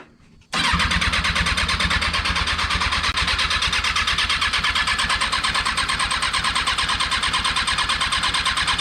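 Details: Freshly rebuilt Kawasaki 636 engine just installed in a car, first start attempts: steady fast cranking about three turns a second, never firing; cranks but won't start.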